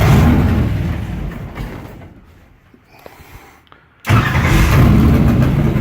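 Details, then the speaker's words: Engine with mechanical fuel injection, cold start after priming fuel two or three times: engine fades out, goes quiet, then catches sharply and settles into a steady, deep, even cold run; normal start. "alright so but that just started the basically pushing fuel up into towards the engine I usually got to do this two maybe three times and then it'll run on it's cold"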